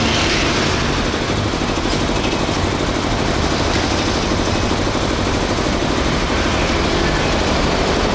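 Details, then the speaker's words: Used Japanese Hitachi 2 hp three-phase air compressor with 85-litre tank, set to 8 kg pressure, restarting after air is bled: steady, even pumping rumble with a quick regular beat, no knocks or rattles; runs quietly and normally. "Để áp 8 ký á, mình xả hơi là nó tự chạy nha. Máy êm, đây."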